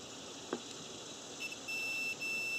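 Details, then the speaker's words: Cooling fan relay bench test, power on terminals 1 and 2, multimeter across switched terminals 3–5 and 6–7: solid high continuity beep holds while the relay clicks in; contacts close normally. "so again we're just applying power again this is clicking you just make sure you guys can hear this"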